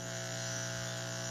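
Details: Washing machine drain water pump tested on a table: even, steady low hum with no rattle, scrape or wobble; pump runs quiet and healthy.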